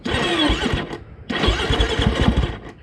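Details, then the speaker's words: Well-used 2011 KTM 450 EXC single, not ridden for a while: two short bursts of uneven electric-starter whir with no firing, so it cranks but won't start; owner suspects a low battery. "Yeah, the maybe not. The starter's going. I think the battery's probably low as well, since I haven't been riding it."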